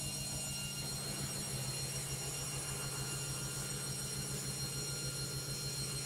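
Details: LOGIK washing machine on spin: a loud steady roar with a low pulsing hum under a constant whine. Excessive spin noise, cause not identified.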